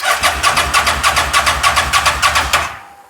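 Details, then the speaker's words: Fire-damaged CF Moto Z Force 800 side-by-side cranks steadily at about three strokes a second for nearly three seconds with throttle but never catches; no start, possibly needs brake clean, air filter unchecked. "Let me see if I can give it some throttle. Well, god damn it. I mean, we're getting closer. It did make a sound."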